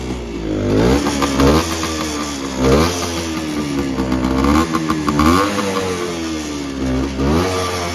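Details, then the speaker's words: 1974 Suzuki TC125 Enduro two-stroke, 6189 miles on clock, stood a while, running a bit flat: revs blipped, rising and sagging, never settles to tick-over; owner thinks it needs a tune-up, maybe carb cleaning; won't hold idle. "Needs a bit of a tune-up, maybe carb cleaning and stuff like that."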